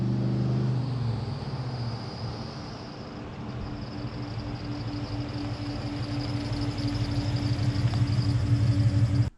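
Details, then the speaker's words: LS1 V8 in a Nissan Patrol, revving: deep rumble climbs with a thin high squeal on top; owner says it's a long-standing tensioner squeal, only at rpm, and plans new tensioners and belt. "you probably noticed that i've got a tensioner squeal i've always had that and i've got to order some new tensioners for it and a belt because the squeals off its head is only when it's in the rpm"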